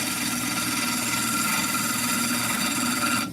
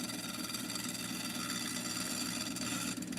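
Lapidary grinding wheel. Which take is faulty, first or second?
second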